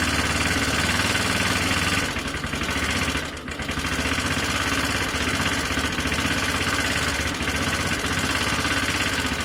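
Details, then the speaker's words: Honda CB250 bobber project after electrics and carb work: it starts but runs unevenly and lumpily, with irregular knocking at about four per second. The engine sounds like it is knocking; the oil is to be checked next, and the cause is unconfirmed. "it sounds terrible guys um it starts though so the problem is found it sounds like it's got knocking in the engine"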